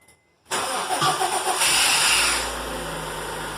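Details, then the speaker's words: Honda D17A2 first start after installing a D16Y8 cam with adapted AEM cam gear for 3-lobe VTEC: fires immediately, sharp blip, drops back to even idle, no ticking, knocking or hesitation; sounds beefier, healthy. "Ooh, it sounds good. Hey, what do you think, Nelson? It sounds beefier, doesn't it?"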